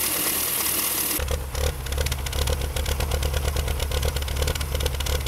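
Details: BMW M3 E36 3.0 after instrument cluster replacement: low, lumpy, shaking idle with irregular shudders; no fault codes, ECU reset helped briefly; fixed: new cluster did not pass diff speed signal to ECU, spoiling fuel tables.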